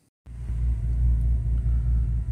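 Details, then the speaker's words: 2006 Bentley Continental with check engine light and occasional rough running, after reseating the air box and mass airflow sensor coupler: low, steady rumble with even beat, no misses or hunting; normal idle. "it's actually uh running idling pretty good and smooth"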